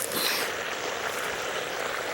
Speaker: I'm hearing some noises and it sounds like there's a leak somewhere underneath one of these bushes